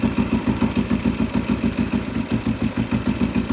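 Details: Husaberg 350 single-cylinder dirt bike, running on an auxiliary fuel tank during a fuel pump flow check: steady, even, unbroken thump at about three and a half beats per second; clean idle.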